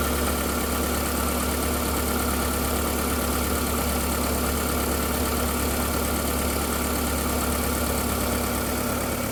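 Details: VW Golf 4 1.6L 16v 105 hp petrol at steady idle with dense fast clacking; startup whistle disappears after 2–3 minutes, then clack-clack inside engine, owner suspects timing side. Clacking noise at idle, cause unclear.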